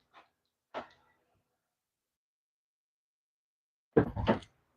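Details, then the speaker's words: Honda CR-V door with the door closed, locking attempted: harsh half-second rattling grind of a few ragged pulses from the faulty door lock actuator, before replacement with a new actuator. "I'll do it again so you guys could hear it oh yeah sounds horrible"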